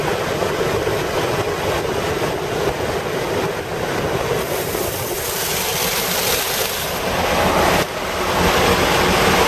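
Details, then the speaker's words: 1988 Toyota Hiace after fitting new viscous fan coupling and new belts: loud, steady rush of air over the engine, swelling slightly with revs; fan locks in and moves lots of air; normal engaged viscous fan. "Viscous coupling definitely locks in. Alright. Definitely moves some air."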